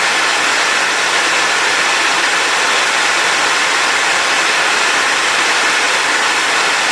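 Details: Compact TriStar C8 two-speed vacuum, Ametek motor after bearing replacement and greasing, running on low at 7.8 A: smooth even high rushing whir, no rattle or speed wobble; healthy motor.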